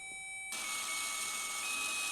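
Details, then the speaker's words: Electronic parking brake caliper motor powered directly with 12 V from a power probe, polarity reversed to retract piston without scan tool: thin high steady electric whir; stop once the motor clicks, normal retraction. "as soon as you hear that motor click, that's it. You don't want to go any further."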